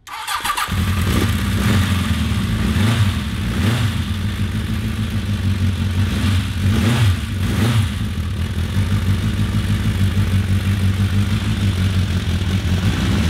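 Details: 1982 Honda CB750 (68 hp, 9,500 rpm redline) after carb reassembly: idles lumpy and sounds mean, blips climb to about 4,000 rpm then fall flat; bogs at high rpm, owners doubt carbs, suspect timing or exhaust restriction.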